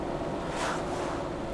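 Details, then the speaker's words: Jeep driving on new tires that replaced Super Swampers with flat spots: steady low road hum, soft hiss and wind, no thumping. Smooth and much quieter than the old tires; the motor is louder than the tires. "goes down the road so smooth now you hear the tires a little bit but definitely hear the motor more"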